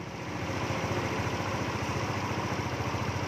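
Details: Yamaha Nouvo scooter after resetting the ISC idle valve by hand: steady, even single-cylinder idle with a regular low beat and no hunting or surging.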